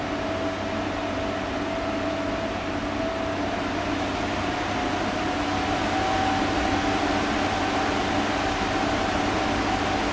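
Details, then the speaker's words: Wahoo Kickr Headwind fan at low settings (6–15%): constant airy rush with faint steady hum; strange noise owner first thought faulty, but Wahoo support says it works as it should. "the headwind moves a lot of air even in the lower settings most of the time i am in a range between 6 and 15 percent but at that range you can hear this strange noise when i used that device the first time i thought this was a faulty product but wahoo support told me it works like it should"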